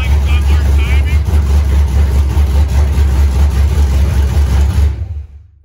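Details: Fresh 5.3 LS V8 engine build with a larger camshaft, first start on open headers with an aftermarket 90mm throttle body: uneven, hunting low idle rumble before shutoff. TPS voltage was just reset and the IAC position reads 170–200 instead of about 60–70. Unstable idle, cause unconfirmed.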